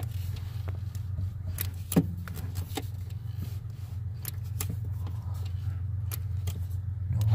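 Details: Mazda Miata idling steadily as the clutch pedal is pressed to the floor after lubricating the pedal linkage with Teflon dry lube; only soft clicks, squeak fixed.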